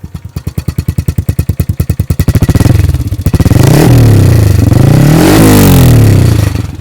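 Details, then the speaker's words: 2015 Honda Wave 125i bored to 143cc, fuel injected, single cylinder: putts evenly at idle, then blipped several times; thin tinny rattle over revs, owner believes something loose inside the exhaust pipe after years of hard use. "as you can hear there's a little bit of a Tenny kind of Rattle and that is in my opinion something inside that pipes that go after a lot of years of really hard use"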